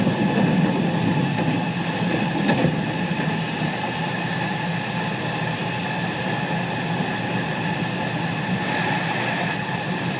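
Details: JR West 207 series 1000 T17, recorded aboard KuMoHa 207-1037 (Toshiba GTO inverter), Tokuan–Kōnoike-shinden, iPhone 5s: layered whining tones beat over wheel and rail rumble, as the Nishi-Akashi/Shin-Sanda-side inverter modulation is out of step with the Kyoto/Kizu side.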